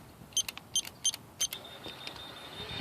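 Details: Newly fitted Linear AK-11 keypad on low-voltage 4-wire gate system, relay 1 timed open: four sharp keypad beeps after entering code, then gate motor hum starts and rises steadily; operating normally.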